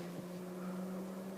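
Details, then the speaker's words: Radiator electric cooling fan at the front, activated via Delphi DS150 diagnostic tool from the engine control module: steady even low hum with a faint whine, no rubbing or ticking, ramping to full speed; normal operation. "Don't know if you can hear that in the video, but that's the fan at the front, and it'll go up to full"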